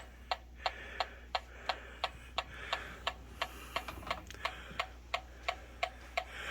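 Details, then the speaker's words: Techamor Y201 portable combustible gas leak detector checked 360 degrees around a newly installed gas stove top: crisp, even ticks about 87 a minute in a quiet room with no alarm tone, so no leak detected. "you can hear the ticking going on but what we do is we check 360 degrees and if this thing starts screaming we know we have a gas leak"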